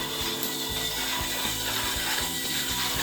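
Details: 3D-printed rocker-bogie lunar rover driving forward on its own in a backyard: steady fast ratcheting gear whir with even clicking, no grinding or binding; normal drive gear noise.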